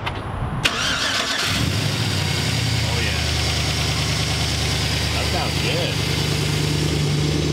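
Cranks briefly, catches quickly and settles into a steady, even idle with no knocks or misses; a healthy V8.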